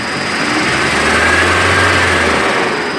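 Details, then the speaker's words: VW Passat B5 1.8 after hydraulic lifter flush and cleaning, frosty weather, previously ran diesel-like: light throttle blip rises and falls evenly with no ticking from the top end; lifters now quiet. "как слышите никаких звуков туков гидрокомпенсатора нету"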